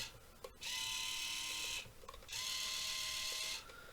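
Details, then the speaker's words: 1:28 scale RC loader (Rui Chang QY2302), joystick steering, first look after poor packaging: steering motor gives two short high buzzing whirs, about a second each, but the steering doesn't turn, seemingly slightly polished. "so our steering is making the noise but it's not it seems to be slightly polished so i don't know they assumed it was just totally broke it's not really doing that anything"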